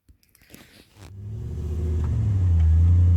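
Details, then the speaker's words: Toyota 3UZ V8 swapped 4x4 with 5-speed and Safari transfer case, sat a month moving in and out of shop; deep, slightly lumpy idle with uneven beat; engine misfire, suspected fouled plugs from overfueling. "I can hear it missing, which it wasn't doing, but I would think it's dead more than..."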